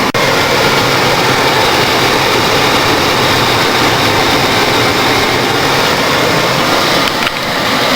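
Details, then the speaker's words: 1992 Ford Crown Victoria ex-police car, stock 4.6L V8, mileage unknown, idle recorded under the hood after a cold start following a week of sitting. Constant airy rush over a quiet, even engine beat; healthy. "let's go ahead and take a look underneath the hood she sounds good 4.6 L V8"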